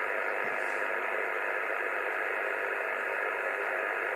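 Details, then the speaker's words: 2 m (144 MHz) amateur radio band: constant loud S9 hiss across the band with no gaps or pulsing, burying signals even with noise blanker on; power line noise returned after recent work on nearby lines. "sounds like the power line noises back all over uh all over 2 m S9 of noise"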